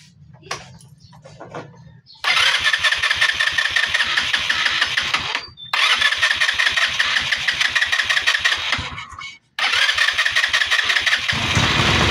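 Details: Motorcycle with hard starting: repeated starter cranking before it catches, then an uneven sputtering run with dropouts, a misfire.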